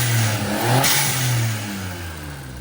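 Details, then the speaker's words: Warmed-up 2017 Suzuki Alto Works with HKS pod filter: brief rev falls cleanly back to steady, even idle with no knocking or hunting; idle back where it belongs. Normal idle after revving. "Idle's back to where it belongs."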